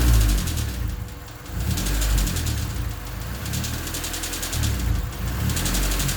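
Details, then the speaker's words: D16Y8 engine with an idle issue and a new header: fast, light chatter that quickens as the throttle opens. Stethoscope places it in the head around cylinders 1 and 2; owner suspects valves rather than rod knock, unconfirmed. "It still sounds a lot like valves to me, and with the stethoscope, the sound is primarily coming from the head around cylinders 1 and 2, which gets me thinking it's probably the valves and not a rod knock."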